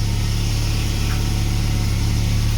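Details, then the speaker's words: Renault in cold weather, not started in a while with only periodic battery charging, warmed up after a cold start and settled to a moderate, steady idle of about 1100 rpm with even pulses and no stumbles or ticks; idling healthy. "See, we this has settled down to quite a moderate, about 1100 RPM idle, which you probably can't see."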